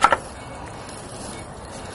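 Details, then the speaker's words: Old wheel hub assembly removed from a rusty Ford truck with 92,000 miles, spun by hand: a sharp knock then a steady, dry, gritty rasp from a worn grinding bearing; the new hub spins without grinding. "grinding. See? The new one, no grind."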